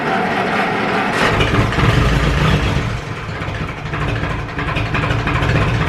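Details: Ferguson 20 petrol/TVO tractor, sat 10–15 years, after carburetor cleaned (needle valve seating, float free): engine chugs at fast idle, slightly uneven as it settles, no knocking; running again.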